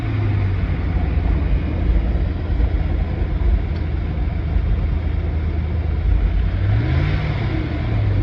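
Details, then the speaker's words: 2010-18 Ram 1500 on the stock OEM air intake, before the K&N 63 series cold air intake install: deep, steady rumble swelling briefly on throttle blips, smooth and even; normal revving. "Okay, so that's with the OEM air intake, so we'll get started on the install."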